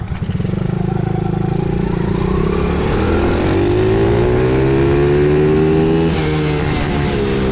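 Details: Coolster 110cc quad that sat two years, warmed up, on test ride: throttle stuck open, revs climb and hang high with steady rising drone; cause found as loose, improperly threaded carb cap; owner hopes nothing got sucked into engine.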